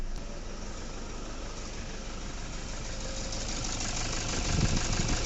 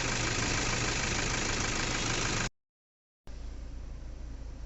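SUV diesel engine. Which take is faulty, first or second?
first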